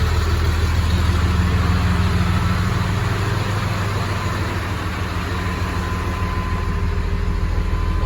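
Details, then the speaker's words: 1996 GMC 3/4-ton Suburban with Cummins diesel swap and exhaust brakes, started after sitting about 3 days: steady, even low rumble with regular firing pulses at idle, no knocks or misses; normal healthy diesel idle. "Gotta love the sound of a Cummins diesel."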